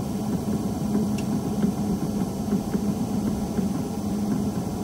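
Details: Skoda Fabia 3 fresh-air flap clicking in the dashboard: light, fairly regular ticks about twice a second over a steady fan hum; noise analysed, then repaired.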